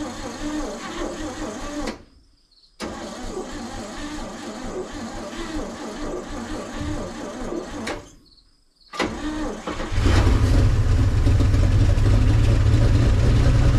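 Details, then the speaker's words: 1961 Chevy Viking 60 farm truck after freeing three stuck valves and fitting a kit, needing antifreeze top-off: loud, steady, even run with no misses or knocks; running well. "sounds good sounds real good well it's amazing when you uh free up three valves how well it runs"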